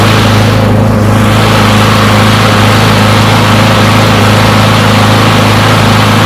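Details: Push mower, non-running after sitting a long time, finally started and left running to warm up: steady, even drone at constant speed without stumbles or knocks; runs pretty good.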